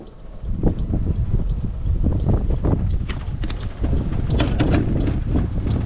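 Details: 1929 Bugatti in neutral, magneto off, starter cranking without firing: uneven grinding clunks as the starter pinion chews on worn flywheel ring gear teeth.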